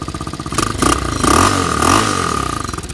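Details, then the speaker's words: Water-cooled Chinese 250cc ATV/dirt bike, 140 hours, stock exhaust; muffled single-cylinder putter rising smoothly with throttle blips and settling back evenly; healthy engine, runs well and reliable. "Still has stock exhaust, so it sounds muffled as, but it runs pretty good after quite a long time, and it's been reliable."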